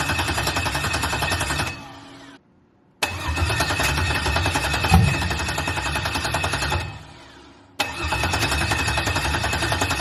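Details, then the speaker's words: LS-swapped 1986 El Camino (swapped heads, cam) on its first start attempt with a charger in jump mode; fuel pump runs, steady even cranking never fires; crank no-start blamed on the anti-theft system (VATS) not deleted in the used computer, originally from a 4.3 V6. "it'll basically do this it's trying to start but it's not going to start because the bats which is the vehicle anti-theft is not deleted"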